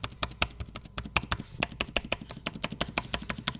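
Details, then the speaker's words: Dell XPS 9570 laptop, microphone below, spacebar after refitting and greasing its metal stabilizer bars to cure an intermittent right-side squeak; crisp quick clicks about eight a second, no squeak or creak, sounds normal. "we're just gonna place it back in there and push it down sounds pretty good right now sounds like we got it"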